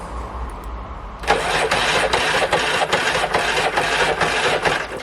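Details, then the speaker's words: 1992 Stiga Collector SE mower, Briggs & Stratton 12 series electric start, old battery reading 12.8 V, compression good: the starter churns at a sluggish, even chug of about 2.5 beats per second, too slow to fire. Slow cranking from weak battery. "is not very it's not spinning it fast enough"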